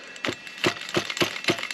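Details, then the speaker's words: Losi 8ight nitro buggy with brand-new replacement engine, warmed with hair dryer, glow plug loosened, before first start: sharp regular clicks about four a second as it's turned over, catching at the normal top dead centre pinch. "Just going to loosen the glow plug a little bit. that loose a bit and release some of that pinch and prime it up if we can. See what I mean about that pinch"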